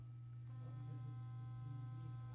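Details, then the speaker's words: Sonicare HealthyWhite+ HX8911 toothbrush switched from low up to medium intensity: strong, steady low buzz at an even pitch with no wavering; sonic motor running normally at medium. "when the toothbrush is running you can listen to the different sound of the different intensities so if I turn it on and then I go up to medium intensity this is low right now"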